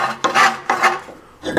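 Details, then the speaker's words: Lifted Toyota (4Runner/Tacoma/FJ Cruiser type) front hub spun by hand after Total Chaos spindle gusset install: dry scraping rasp each turn as the brake dust shield, pushed out by the gusset, rubs the rotor despite a dimple; adjusted to fix. "Yep, it's scratching on our dust shield because the spindle gusset is pushing it out a little bit. Even though we put that little dimple in the back side of this shield, it's still rubbing."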